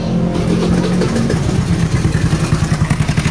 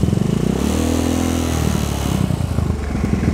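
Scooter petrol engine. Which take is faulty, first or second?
first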